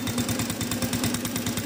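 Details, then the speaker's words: Honda Revo motorcycle, starts on kick but RPM won't rise and power drops when throttled: uneven lumpy put-put idle with irregular popping beats and clattery top end; jumped cam timing or worn camshaft suspected. "Jadi di setar langsung nyala cuman digas itu RPM enggak mau naik, enggak mau wer malah petok petok pretok pretok kayak gitu."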